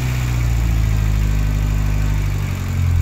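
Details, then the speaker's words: Fiat Uno Turbo ie, over 200 hp, idling just after first start following repair with timing belt set and shims adjusted; deep, smooth, even idle, only injector noise, no exhaust leak. "Juste le bruit des injecteurs, plus de fuite d'échappement. Ah, ça tourne ça."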